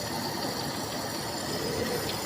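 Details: Toyota Kijang 7K carburettor after cleaning and jet check (primary jet 112), air-mixture screw adjusted; even, steady idle with smooth unchanging beat, no misses or stumbles, mixture sounds well set, normal idle.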